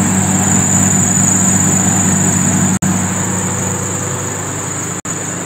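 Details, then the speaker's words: Car engine at idle just after a cold start, with a steady high-pitched drive belt squeal above the hum that fades away on its own within seconds to a minute or two. "Dengarkan dengan seksama nanti ada bunyi decitan di area mesin ini kita Nyalakan [Musik] [Musik] hai hai Hai seperti yang teman-teman dengar ada bunyi berdecit ya"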